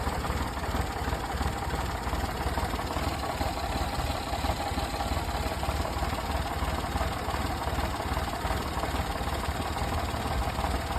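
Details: 1998 fuel-injected Daihatsu Hijet: uneven, lumpy rough idle with irregular low thumps about three per second over a steady engine hum.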